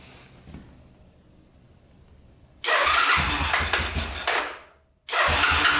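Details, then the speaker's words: 1985 Honda ATC250SX shaft-drive three-wheeler, just started after fresh gas, smoking a little: a fast, light top-end ticking over the single-cylinder exhaust bark. The owner suspects valves needing adjustment or the cam chain, possibly a gas tank rattle. "oh yeah fired right up i hear a little knocking in the top end here though i think"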